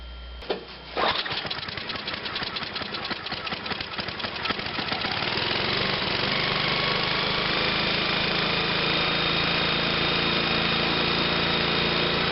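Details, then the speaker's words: MTD snow blower after disassembling and cleaning a clogged carburetor needle valve (spark already confirmed): a few pulls catch, then the engine settles into an even, steady run with no misses or stumbles; back in business. "We're back in business."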